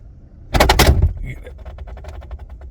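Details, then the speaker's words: Nissan Micra AC blower at switch-on, recorded without external mic: loud clatter then quick, light, steady ticking rattle as the fan, broken inside, hits its housing; broken blower fan rattling. "ओट यह आवाज सुनी आपने यह basically अंदर टूट गया है और बहुत भयंकर टूटा है"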